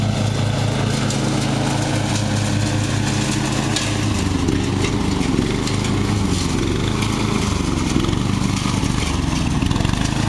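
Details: Murray riding mower, first use this year after long shed storage and a mice nest cleaned out, runs evenly then sags and stumbles after cutting half to 3/4 of the lawn; owner unsure, maybe overheating, and may be simulating it with the choke.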